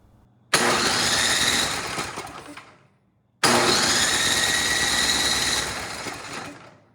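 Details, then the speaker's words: Troy-Bilt Storm 10030 snowblower with Tecumseh HMSK105 engine, long outdoors, reported no spark and carburetor issues; 120 V electric start with choke on: two fast, even two-second cranking runs, engine spins freely but never fires; cause unconfirmed. "that is a fast electric start but we're not starting"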